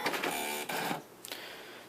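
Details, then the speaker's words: ImageWriter II printer with the Apple IIc, power-on with paper loaded before a color print test: quick whirring motor buzz, short mechanical bursts and a light clack as the head carriage moves down and up; normal. "noise you just heard was the cartridge moving down and up."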